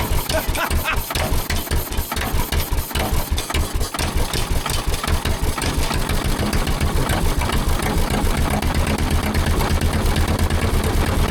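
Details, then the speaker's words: Gasoline pony starting engine of a 1940s Caterpillar D8 dozer unmoved for decades, running on old gas already in its tank: chugs unevenly at first, then settles into a steady fast beat. "Unbelievable. I can't believe it. It's running off of gasoline that was already in that pony tank."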